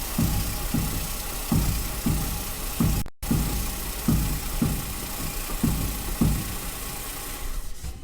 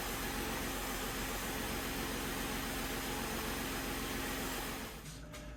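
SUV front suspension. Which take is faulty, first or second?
first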